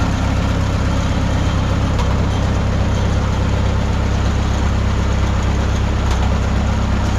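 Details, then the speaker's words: 1951 Farmall M four-cylinder on Autolite 316 plugs, replacing Champion D21s: idles fairly evenly with a deep steady beat and an occasional sharp pop; a huge improvement. "well uh that was a huge Improvement we are getting still an occasional just little bit of a a pop here and there but I think I'm getting overly critical now these old tractors you know do that uh a little bit"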